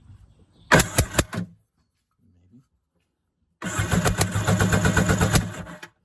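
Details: 1992 Kawasaki 650SX stand-up jet ski cranking with the plugs out on a stand-in battery during a compression test; quick, even cranking at about four beats a second with a strong regular chuff. Both cylinders read a little over 150 psi, healthy compression.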